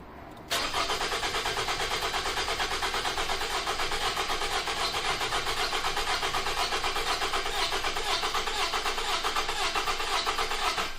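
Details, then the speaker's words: 2009 Toyota RAV4 2.5 cranked during labscope relative compression test: starter cranks steadily about ten seconds with uneven beat, one pulse lighter each cycle; low compression in more than one cylinder, intake valve issue. "that's odd did you hear that we've lost a cylinder darn that huh well that's exciting"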